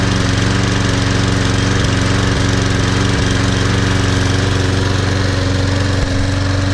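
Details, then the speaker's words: Toro Super Recycler mower, model 20092, on a January cold start; it recently refused to start in snow but started first pull today. Steady, even single-cylinder drone with a smooth regular beat and no misses or knocks: normal running. "It's my favorite lawn mower here. Started right up. So, all three Toro started up."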